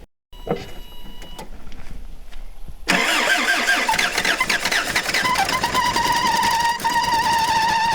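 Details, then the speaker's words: 1977 Toyota Celica GT parked 20 years, first start on a swapped-in battery: cranks then catches, steady high squeal over rough idle with burning rubber smoke at engine front; belt slipping on seized air pump pulley. "Well, it kind of smells like maybe a pulley's locked up there. Yeah, that is a smoky mess up in here. All right, so the large amount of burning rubber from the front of the engine, the air pump's locked up solid, so no problem, don't need that thing."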